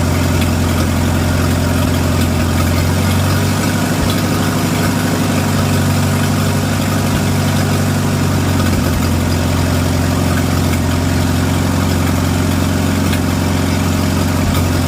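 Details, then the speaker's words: Antique Farmall gas tractor after magneto install and timing set, gasket not yet fitted: loud low idle with slight uneven lope and small stumbles every few seconds; carburetor needs adjusting. "The carb needs adjusted."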